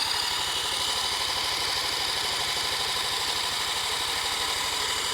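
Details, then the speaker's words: 1977 Honda Z50 stored 25 years, spark and compression confirmed good, some fuel reaching carb; steady chuffing about three beats a second, never catches, cranking no-start; owner unsure fuel delivery. "nothing ah let's figure out what it is I'm getting fuel am I getting fuel"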